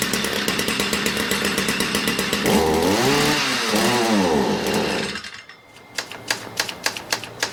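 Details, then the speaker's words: Stihl MM56/MM65 tiller two-stroke, bought used, worsening over three years: rough rattling run surging up and back, then dying to sputtering pops; runs only on choke. "so it will run on choke but nothing more"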